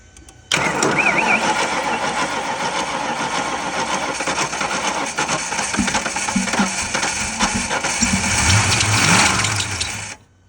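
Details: 1992 Ford Mustang GT 5.0 Foxbody revival that had no oil and no fuel, fuel pump heard cycling: the starter churns steadily for about nine seconds with no firing and the engine never catches. Bad fuses were found; cause not confirmed.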